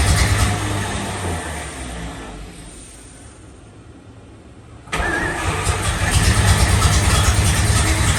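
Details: 1954 Fargo half-ton flathead six on first startup after piston ring install and valve adjust, with the carb float overflowing: the engine dies away, then catches sharply and settles into an even, steady run with no knocks or misses. Normal running.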